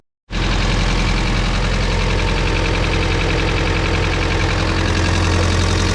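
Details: Turbo H2B after coil-on-plug conversion, started on a jump from a low battery: engine catches instantly and settles into a steady, even idle with no misses or knocks.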